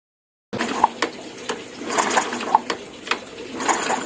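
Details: Yamaha Jupiter Z motorcycle that suddenly died with no ignition spark: repeated ratcheting kick-starter clack, engine never fires; pulser reads 220 ohms against a 240-370 ohm spec; faulty pulser coil.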